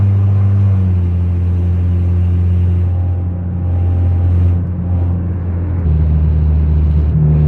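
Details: 2004 Honda CR-V (2nd gen) with stolen catalytic converter, driving on the road at low speed: deep, loud, raw unmuffled droning rumble swelling and dropping with throttle.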